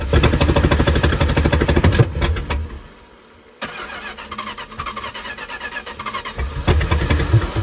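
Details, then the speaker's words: 1968 Plymouth Fury 318 with one-barrel carburetor, not run in over 20 years: starter cranks about three turns a second, pauses, cranks again without firing; fuel likely not reaching the engine, old fuel filter suspected plugged. "all right Barry fire it up [Music] probably didn't suck fuel up yet"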